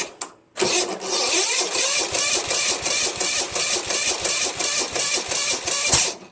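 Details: Chipper shredder engine, starter gear hanging up: slow, labored cranking at about 2.5 chugs a second that never catches. The weak starter smokes, partly burning off penetrating oil.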